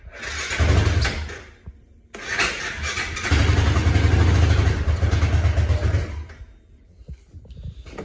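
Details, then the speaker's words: Hisun 550 UTV, fuel-injected, that was losing power and cutting out: repeated cranking bursts with pauses, barely firing or holding; hard starting before the fix, blamed on a clogged fuel injector. "it has trouble starting now it's fuel injected should fire right up"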